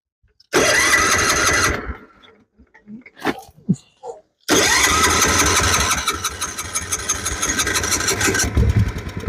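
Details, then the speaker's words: Older Kohler small engine on a homemade mini tractor-truck, gas drained and fresh fuel added, petcock and carburetor pouring fuel: cranks, catches and settles into a busy, fairly even run; fuel leak, running itself sounds healthy. "Our petcock is leaking, so we're going to just kind of fire it off and see what happens."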